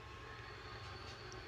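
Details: Wall cutting machine after replacing both armature bearings (damaged bottom bearing let the armature touch the field coil, causing vibration): steady, even motor hum with a constant high whine, no knocks, rattle or wobble.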